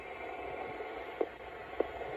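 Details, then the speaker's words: 1960s Electra TC-505 reel-to-reel, after degaussing and cleaning the head, playing back: soft steady hiss with faint clicks and no hum. The hiss comes from the tape itself, not the deck. "what you're hearing there is just the tape hiss that's just tps"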